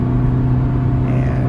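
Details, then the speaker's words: 1998 Honda Civic on a test drive after two months of stalling, traced via the "haunted tachometer" symptom to a replaced part: smooth, steady low engine drone with no stumble or misfire under light load, now running normally. "once I took it for a test drive the car finally drove the way it should and trust me man I was so relieved"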